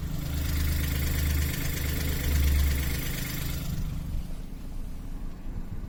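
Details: Seat Toledo 1.0 TSI 81 kW (same engine as Skoda Fabia, Octavia, Rapid, Seat Ibiza) on cold start, outside temperature above 20 °C: a metallic rattle over the fresh-started engine for about four seconds, then dies away.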